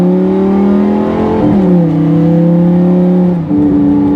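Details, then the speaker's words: Single-clutch automated manual (Lamborghini E-Gear type) accelerating with foot held on throttle: engine pulls hard, note drops briefly at each upshift as the system cuts throttle, then picks up; normal automated upshifts. "And when you listen to the gear change, it makes the same sound as if you took your foot off the throttle."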